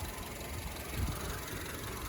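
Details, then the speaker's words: 2009 Honda Civic after an accident, towed and sat two days, engine warmed up: steady low rumble with an even beat, no knocks or misses; normal warm idle, temperature holding without overheating. "and it works very good. There's no issues with the engine."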